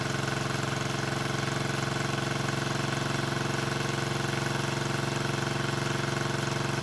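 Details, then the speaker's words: 1974 Honda CB350F four after 20+ years sitting, fast idling around 1200 rpm: uneven, lumpy idle of about three pulses a second. Only cylinders 2 and 4 fire; the owner suspects fuel rather than ignition, unconfirmed. "I'm only running on cylinders four and two and one and three are not firing which means it should be a fuel thing"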